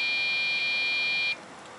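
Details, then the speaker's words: Dell OptiPlex GX620 Pentium 4 3 GHz at startup gives a long, steady high-pitched beep, a gap, then more beeps in code 1-3-2 before hanging: memory not initializing. Swapping RAM failed; it was solved with a replacement OptiPlex 755 motherboard and front panel board. "2 3 one 2 and then it just hangs error code 132 according to Dell's diagnostic manuals for this particular um computer state that that means there is something wrong with the memory or the memory isn't being initialized properly"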